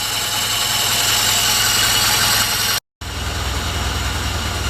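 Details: Alfa Romeo with SPICA injection pump, after pump adjustments to cure very rich running, warming up before the pump gap is checked: an even idle with a steady pulse of about four beats a second and a hissy top end; it runs smoothly and sounds healthy.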